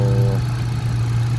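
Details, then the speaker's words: Hyundai Accent gasoline that cranked but wouldn't start, now running after the fuel pump relay was swapped with the horn relay (coil power and scan OK): steady even low hum, no stumble or miss; smooth healthy idle. "Ayon goods naman. Walang palyado. Okay naman yung makina."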